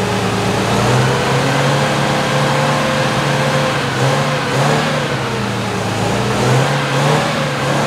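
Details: 1973 MG Midget parked over 40 years, oil leak and timing addressed, good oil pressure: engine catches and runs steadily, rising and falling smoothly with throttle, no knocks or misfires; normal running.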